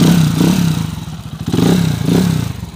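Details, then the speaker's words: TMX155 single-cylinder motorcycle after overhaul with new first gear, main shaft and connecting rod, previously noisy: blips up and settles twice, firing crisp and even. No knock or rattle; engine now quiet and healthy. "Ayos Ayan na siya mga bro tahimik na yung makina from Pangasinan mga"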